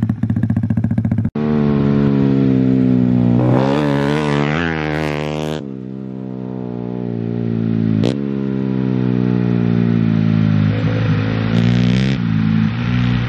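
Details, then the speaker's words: Bike ridden on a frozen lake: single revs hard, then breaks up in a choppy stutter at about 6000 rpm, sounding like a two-step limiter; high-rpm misfire whose cause is unknown and not yet fixed. "well uh the bike is not really happy it has this like stutter at like 6000 rpm it almost sounds like two-step and uh we couldn't get it fixed"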